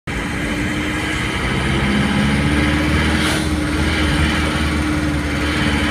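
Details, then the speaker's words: Isuzu Panther diesel bought from a showroom: at 2000 rpm and above or when revved from idle, a sharp metallic "nrek" valve-like knock over the clatter; valve adjustment didn't fix it; piston contacting the head, head gasket too thin. "m ini ketika digas di RPM 2000 ke atas atau stasioner digas dia bunyi nrek seperti klep"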